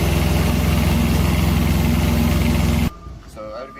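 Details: Carrier ComfortPro APU diesel after replacing its repeatedly breaking alternator belt and aligning the pulley: a steady, even diesel thrum with a regular beat, then a clean shutdown; normal running.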